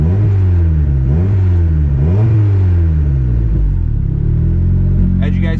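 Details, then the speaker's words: Turbo Honda Civic single-cam with new 1500cc injectors, fuel being pulled 10% at a time: idle rumble rises and sags about once a second, AFR surging; idle surge from rich mixture. "can see right now, it's surging pretty bad uh AFR wise. RPM's not terrible, but that's definitely surging a little bit."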